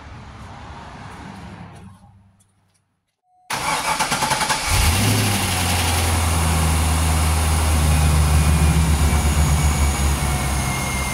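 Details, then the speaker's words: 2003 Corvette C5 V8 firing up after a new water pump and belt install and a coolant refill, while being checked for leaks. A quick crank and clean start into a steady deep burble. The earlier belt chirp is gone, so normal start and idle. "so far I don't hear that little chirp that it had either so hopefully that belt took care of that"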